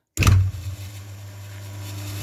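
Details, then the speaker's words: Single-phase induction motor with AZ, A, Z, S, T terminals, resiliently mounted, run winding 4.3 ohms and start winding 14.3 ohms, running unloaded. It kicks in with a short thump, then settles to a smooth, steady low hum with no rattle or growl, drawing about four amps. "having said that when it starts up it's going to be many times more than four amps but it should settle down to something like that so um let's let's start it up"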